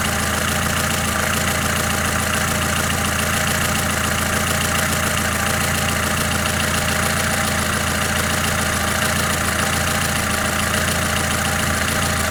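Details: Lada Kalina engine, warm: steady idle with light, irregular tapping a bit over two a second under the engine note; runs unevenly when cold, cause not pinned down. Engine tapping at idle.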